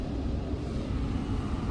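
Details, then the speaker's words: 2015 Ford Fusion 1.5 EcoBoost with a P0302 misfire, during a scan-tool power balance test with an injector disabled. It idles very roughly, with a deep uneven chug from two cylinders not firing, and still runs badly. "After spares, still runs like dog"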